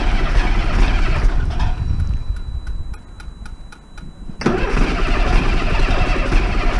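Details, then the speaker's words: Diesel bus, cold morning, started without Easy Start after last week's fuel pipe move: long uneven cranking chuffs, then catches and runs rough and smoky while air bleeds out; air getting in, pump needs priming. "So, that's where air is getting in. So, that will be what needs unpriming the pump."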